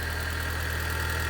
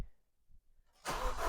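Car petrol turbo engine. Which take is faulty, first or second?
second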